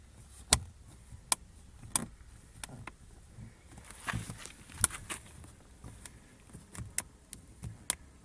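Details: Lada Vesta SW Cross door handle squeaks, about a dozen short sharp squeaks as the handle is twisted in a quiet cabin, after the removed handle was sprayed generously with silicone; squeak persists, this fix did not work.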